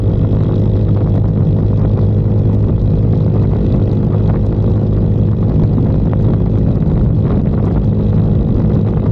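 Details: 2022 Icebear Maddog Gen V scooter after replacing the vacuum fuel pump with an electric fuel pump and adding a wideband AFR gauge: steady deep drone at cruise, no sputtering or cutouts, where it previously sputtered at wide open throttle.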